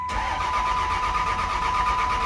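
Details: Cummins diesel single-cab truck cranking after broken grid heater relay wires were repaired: even starter cranking with a steady whine and no firing, and there is no tach signal.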